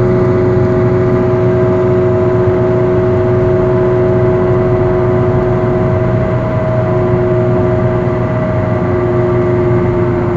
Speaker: it goes from humming to a sort of growling which intensifies as you drive faster and there's more load on the bearing here is an example at the beginning of the problem and at the later phase